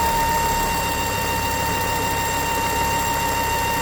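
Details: Ford S-Max 2.5T (Volvo engine) idling with a steady high one-pitch whine and strong crankcase vacuum, caused by a failed diaphragm in the oil filter housing breather; fix is replacing the diaphragm or housing.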